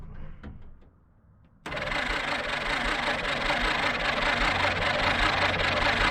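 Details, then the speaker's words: 1946 Jeep Willys CJ-2A after sitting for years, battery fitted: quick even cranking about two and a half beats a second, sounds like good compression, no firing; no spark, points to be cleaned. "She Cranks over though cranks over pretty quick and it and it sounds like it's got compression"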